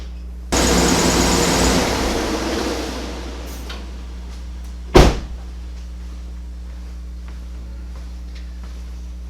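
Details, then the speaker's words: 2010 Cadillac Escalade after new spark plugs, wires and oil change, oil overfilled: cranks, catches and settles into steady, even low idle with no stumbles or misfires; door thump later. "actually runs smooth so we don't have any misfires"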